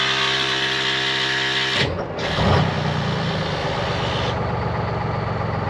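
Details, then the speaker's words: 1973 Peterbilt 352 cabover, 12V71 Detroit Diesel two-stroke, first run since 1984: after a brief air hiss from a busted air line it settles into a steady, even idle with busy two-stroke rattle, no knocks or misses; runs nice. "just runs so nice boys i am totally in love i cannot wait to drive this thing"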